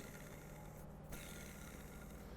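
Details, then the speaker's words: Water-damaged BMW secondary air injection pump, disassembled: the rusted, corroded front motor bearing turned by hand gives a dry, gritty, noisy rasp and has play. "is very noisy there is play and are bearing"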